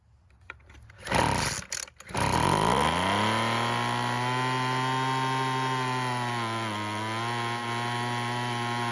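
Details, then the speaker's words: Weed Eater leaf blower that wouldn't start, run after a splash of fuel was added: it sputters, catches and buzzes steadily with a dip in speed, then eventually stops; it may need more idle fuel. "Now that is a whole lot better, however it eventually stopped, so maybe it needs a bit more fuel."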